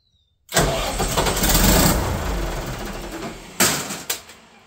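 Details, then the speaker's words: Katolight 110 kVA diesel genset that wouldn't start in auto or manual, run on a temporary line: cranks and catches quickly, then settles into a deep, even rumble with no misfire; starts and runs fine. "It runs. I'll wait till my dad and my brother get here to test it, test all the voltage and stuff."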